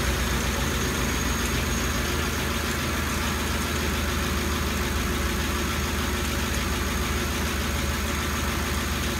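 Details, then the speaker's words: Ford 5.4L 3-valve V8 at idle after the startup rattle from blown-out tensioners fades. A constant sharp tapping sounds over the engine note from a failed roller follower. The teardown found heavy sludge and broken guides. "after that quiets up a bit a bit but then it has a constant and um I'm thinking this one is Roller followers or more lash adjusters so let's start it and listen"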